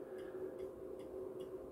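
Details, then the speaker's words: MW POWER MW-SC6B charger in 24V recondition mode, not intended for a 12V battery; faint regular ticks about every 0.4 seconds at the clamps while pulse charging; desulfation effect doubted, cause unconfirmed. "bo też można powiedzieć że że to jest odsiarczanie nie wiem czy to jest to siarczanie każdy ładowanie to jest w sumie odsiarczanie"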